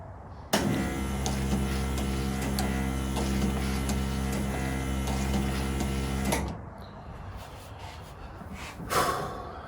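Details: 1936 Chevy Coupe vacuum-powered wiper motor on a vacuum source, with an adapted longer blade: about six seconds of even buzzing drone with soft regular beats, then it stops. Normal steady wiper sweep, though noisy.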